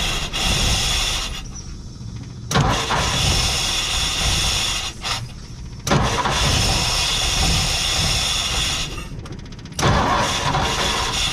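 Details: 1958 Ford F100 panel truck, plugs cleaned, carburetor cleaned, carb cleaner used to start, fresh fuel from new tank: repeated start attempts catching then stumbling and dying, not firing every cylinder; burnt or misadjusted ignition points causing misfire.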